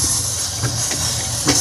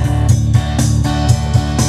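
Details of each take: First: Yamaha PSR-S750 keyboard failed mid-parade while powered from an unstable diesel generator: no notes come out, only a loud constant hissing roar. Audio section fault suspected, not confirmed. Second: Yamaha PSR-S750 keyboard after component replacement, previously rumbling/noisy audio after diesel exposure at a carnival parade; now clean, even playback with steady beat and clear bass, no rumble or distortion; normal audio output after repair.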